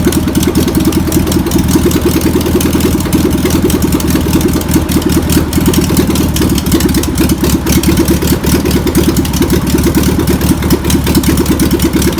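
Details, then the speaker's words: Old VW pressed-bumper-panel bus air-cooled flat-four, sat over 50 years, fuel pump suspected bad: rough but continuous running, loose uneven idle with some rattle, keeps going; engine is a runner. "well I would say that's a runner's"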